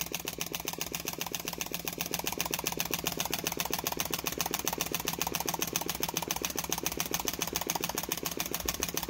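A small model engine runs with a quick, even stream of sharp pops from its valve, steady and healthy.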